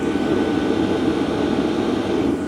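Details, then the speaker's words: LF Bros N2 Pro diesel heater running around level 2, only a smooth steady blower rush with a faint constant tone. No fuel-pump tick whatsoever; called the quietest fuel pump ever heard. Normal running. "The quietest fuel pump I've ever heard, as if it's not there or some alien technology inside this thing. There is no fuel pump noise."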